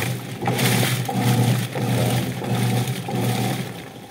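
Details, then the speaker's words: Whirlpool LSP780GP 7.8 kg top-load washer with complaints of weak wash and noisy spin, set to wash on normal: rhythmic swishing churn with water filling and soft motor drone; wash noise judged normal. "So normal yung ingay niya. May ingay, nagsasali ng tubig."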